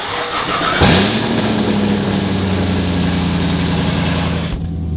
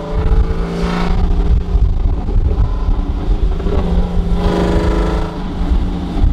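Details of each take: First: Cold start of a Camaro whose exhaust header is hanging loose: the engine catches into a loud, raspy, blatty idle with a steady low drone, sounding like a truck. Exhaust header leak. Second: Camaro after exhaust leaks were fixed and the pipes tacked: deep rumble rising and falling with throttle blips, a few pops on lift-off, no ticking or puffing leaks; normal, sealed exhaust note.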